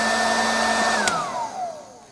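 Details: Salton popcorn maker after fault-finding repair, tested before closing up: steady even fan whine, then smooth falling pitch as the motor coasts down after switch-off; normal fan running.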